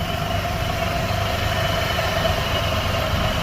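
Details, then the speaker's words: Car brought in for an oil change idling with a consistent cylinder 2 misfire confirmed on scan data: uneven slightly lumpy beat. "we definitely do we're misfiring on cylinder 2 pretty consistently it's definitely misfiring"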